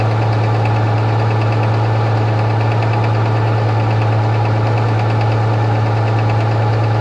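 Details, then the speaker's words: Rover 75 2.5 (177 hp) on a cold morning idle: a light, uneven knock at roughly ninety a minute from the timing belt side, only when cold. Some suggest the timing belt tensioner roller; cause unconfirmed. "вот это вот у нас стук идет получается и только идет на холодную не знаю пока кто-то говорит ролик натяжной грм овский"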